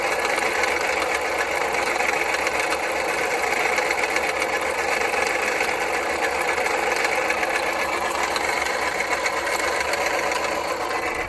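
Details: 2010 Jeep Patriot Sport 2.0 at idle with a fast, busy metallic clatter from the belt-driven accessories; power steering pump, pulleys, tensioner and belt replaced without change; alternator replaced and the noise went away.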